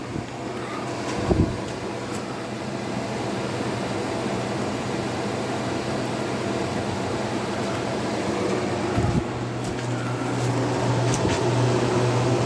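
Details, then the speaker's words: Vintage KitchenAid (by Hobart) dehumidifier, model KDH20, 4.6 amps, made in USA, year unknown, hose draining to pipe: steady low compressor hum with even fan rush settling after switch-on, no knocks or rattles; normal running. "But it seems to work pretty good. We'll turn it on real quick. It seems to work really well."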